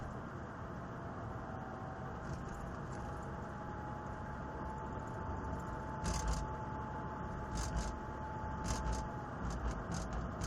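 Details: Mercedes 320 CDI diesel while driving: thin steady high whistle over quiet drone with a few rattles; whistle came 5 minutes into driving, faded, returned after 40 minutes; oil change didn't help; turbo needed both impellers, shaft and bearings replaced.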